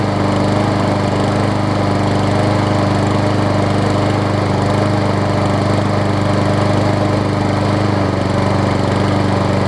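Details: Scotts self-propelled push mower with Briggs & Stratton Quantum engine, about 6.5 hp, after carb clean and air filter refit, having sat a while: even, steady single-cylinder putter, no misses or surging; runs smoothly at constant speed.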